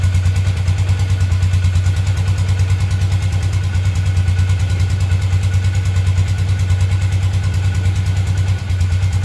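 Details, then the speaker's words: 2012 Polaris Ranger 500 EFI after new top end install, first run with oil system purged: steady, even low thumping idle about three beats a second, no knocks or ticks; normal idle with a little suction sound. "So I don't know if you guys could hear that, but that little suction sound, that was the sound that we wanted to hear. So that means the oil system is purged"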